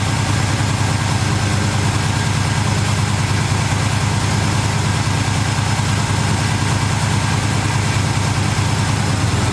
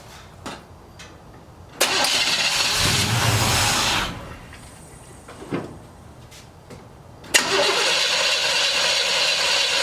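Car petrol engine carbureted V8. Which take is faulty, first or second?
first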